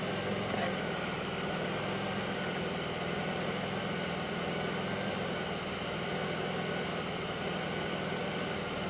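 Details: 2002 Pontiac Grand Prix 3800 with a steady but slightly uneven idle and a faint irregular low thump underneath. Owner reports rough idle, bogging, a faint intermittent thump pulling idle down, alternator overheating and no check-engine light; cause not determined.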